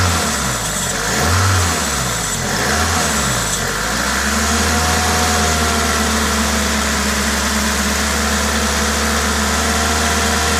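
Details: Toyota 2ZZ-GE engine with an aftermarket induction kit: several quick blips rise and fall cleanly, then settles to an even idle with intake hiss from the induction kit; no knocks, normal engine noise.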